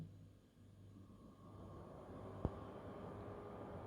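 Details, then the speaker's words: PS5 with a custom fan-speed adjuster set to around 29% while starting Astro's Playroom: a quiet, steady fan whoosh whose tone rises slightly as the game loads. A normal, healthy fan, though audible at this setting. "And of course it's maybe too high. Now we can hear the fan, but we can also reduce it to a lower value."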